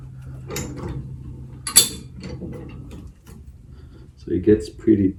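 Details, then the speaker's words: High-lift jack on the Hamer bullbar of a 2-inch-lifted Ford Ranger, lifting under load until the wheel is off the ground: irregular sharp metallic clicks and clunks, notch by notch; normal ratchet clicking. "you're gonna hear the clicking noise every time it climbs up so [Music] temple"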